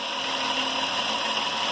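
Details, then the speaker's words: Warm engine idling after about 15–20 minutes: steady, even hum with no squeal or chirp, belt quieted down on its own and sounds normal; a separate popcorn sound persists elsewhere. "belt quieted down, sounds normal."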